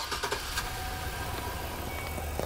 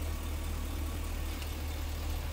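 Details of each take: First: 2009 Chevy Express V8 with code P0300 and excessive misfire: four coils on the same side are not firing. The idle is rough and lumpy with a stumbling, uneven beat. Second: 2009 Chevy Express V8 after repair of a four-coil misfire (P0300) caused by a broken coil power wire, bypassed with an add-a-fuse circuit feeding the coils. The misfire is gone and it idles smoothly with an even, steady rumble.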